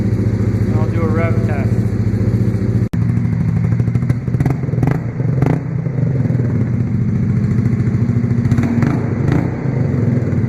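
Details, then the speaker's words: Honda Grom 125 with three kilometres on it, just fitted with an ARV2 low-mount full exhaust: small single at warm idle with a steady, even low thump, quieter once warmed up, no misses or knocks; normal warm idle. "now the quieter gets warmed up"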